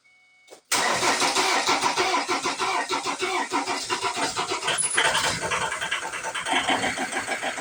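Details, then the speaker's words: 2007 Ford Transit Mk7 2.2 TDCi diesel after new injector washers fitted and lines bled: starts at once, then idle hunts and pulses about three times a second, uneven and stumbling; rough idle persists, later needing injector coding and fuel relearn. "The problem is still there."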